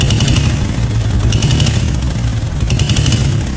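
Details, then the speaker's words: 1987 Chang Jiang 750 sidecar motorcycle boxer twin, unused for ten years, idling with deep even exhaust beat and no rattles after replacing contact breaker points; normal smooth idle. "No rattling or abnormal noise at all. The idle is incredibly smooth."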